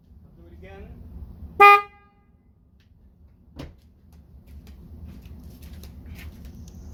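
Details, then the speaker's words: Toyota Tacoma stock single factory horn: one short, thin, high-pitched toot with little body. It sounds weak and will be replaced with dual-tone Cadillac DTS horns. "to me sounds pretty weak so i'm going to change that"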